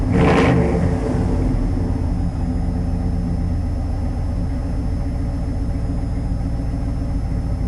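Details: 1990 Chevy K5 Blazer, 350 5.7 V8 originally TBI with Crane cam, still cold; sharp rev blip dropping into a deep, even, steady rumble with no knocks or misses; running great.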